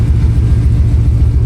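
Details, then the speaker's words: Truck V8 running after crankshaft position sensor replacement and reattaching the loose half of the exhaust: deep, steady burble, even rhythm, no knocks or exhaust-leak puffing; sounds healthy and quieter. "But for now, yeah, she's uh she's back. She sounds good."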